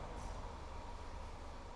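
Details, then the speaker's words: Peugeot 307 SW, automatic, customer complaint of intermittent misfire, found out of timing sync. After repair it idles at 600–700 rpm with a low, steady rumble, an even beat and no knocks or stumbles; healthy. "então daí ó montado funcionando perfeitamente rotação do motor 600 e 700 ir com um minuto"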